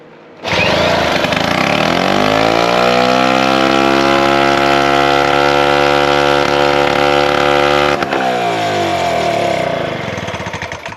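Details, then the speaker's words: Original, step-by-step rebuilt 3800 two-stroke engine, ignition refitted with electronic condenser, fuel test: catches and revs up quickly, holds a steady buzzing run several seconds, then drops back; runs cleanly. "voilà c'est ce qu'il lui fallait au moins pour le début"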